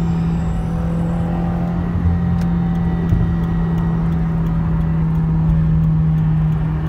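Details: 2017 Subaru WRX, stock apart from axle-back exhaust: steady low engine drone with faint sharp ticks; a nut snapped off the exhaust manifold, causing a boost/exhaust leak and noise, second occurrence. Exhaust manifold leak.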